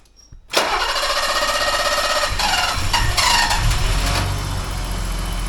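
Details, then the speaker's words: 1985 BMW 635 CSI after rewiring a harness connector (yellow, red, brown, green wires): engine catches quickly, flares and settles to steady idle; normal start, so that connector is hooked up right. "Yep, the way it goes. So that must be hooked up right, or else it wouldn't start, right?"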